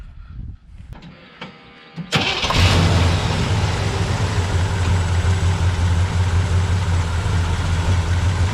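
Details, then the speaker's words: 1982 Chevy Scottsdale with a late-model roller block, electric fuel pump and RPM intake with carb: a few clicks, then it catches at once into a strong, even, rumbling idle. A healthy start. "start it up real easy that's good"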